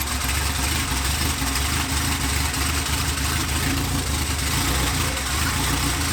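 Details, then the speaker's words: 1993 Honda Civic EG with fully built LS VTEC engine, first start, open header, stock old injectors, plugs gapped 0.035: loud steady drone, even firing, no knocks or misses; runs well once the plugs started working. "It's okay, dude. It was sounding good. I wanted to hear it. It did sound good, but I have to check things now."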